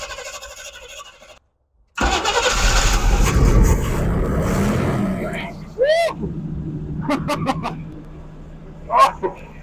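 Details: Squarebody utility truck after priming the carburetor. It cranks, catches and runs rough a few seconds, then sags and fades out, apparently running only on the prime. Suspected fuel delivery fault; cause unconfirmed.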